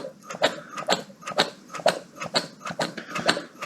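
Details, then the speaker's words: Austin Mini Mayfair 998 automatic, camshaft-lobe-driven mechanical fuel pump tested: even squelchy pumping strokes about two a second with crisp suck-and-push; pump working fine. "and we can tell obviously this pump is working absolutely fine because we can hear it"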